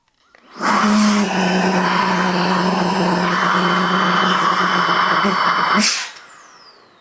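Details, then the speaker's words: New Milwaukee M18 precision blower at highest speed with outlet covered to mimic a clogged drain: high strained whine with hissing air escaping around the nozzle lock grooves and openings; little back pressure at the outlet. "So you have, you know, the highest speed here, and you want to hit or cover this, and you're trying to clear something out. They're trying to mimic like a clogged drain, and they said they don't feel any pressure."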